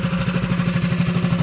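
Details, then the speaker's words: Mini bike small single-cylinder engine after bolt removal and stud replacement, torque converter not yet fitted, running at 1450 rpm: steady clean putter at about twelve beats per second, no rattle. Normal healthy idle. "But it's sounding good, y'all. Running at 1450 right now."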